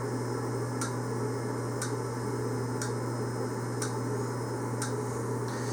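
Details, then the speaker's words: Yamaha XV1700 Warrior, self-diagnostic mode 36, throttle-body fuel injector that was not pulsing before because its electrical plug had come unplugged; after reconnecting it gives crisp, even ticks about once a second over a low hum; injector firing normally. "This here throttle body, the injector, was not pulsing before. Let's listen now."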